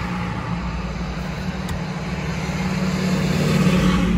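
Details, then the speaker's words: Mazda CX-5, exhaust flex pipe wrapped with three layers of fibreglass heat tape, three days on; driving, smooth low drone rising gently with no rasp or growl; quiet now, owner expects it won't last and will need replacing. "тихо стало не знаю только на долго ли он скорее всего ненадолго Надо будет потом менять"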